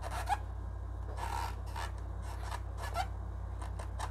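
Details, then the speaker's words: JVC RC-S5C stereo radio cassette recorder after repair (strap replaced): irregular dry scraping bursts, about one a second, over a steady low hum from the cassette door. Cause unknown; the owner calls it not serious. "Mais c'est juste la porte qui fait du bruit, je sais pas pourquoi"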